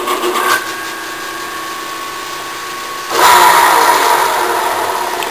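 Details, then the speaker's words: Bridgeport milling machine in back gear, motor run in reverse to give forward spindle rotation: steady motor hum with a light whirr that jumps louder midway, spindle turning slowly and evenly; normal back-gear running. "see how slow the speed is but when you have it in back gears you have to run it in reverse notice that's running backwards so we now we got it in reverse to give us a forward rotation"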